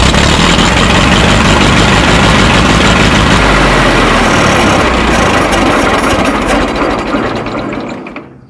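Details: Minneapolis Moline Z tractor after rewiring, with the choke spring removed and a cable holding the choke open: loud steady running, then the engine sags and dies; owner unsure whether power was lost.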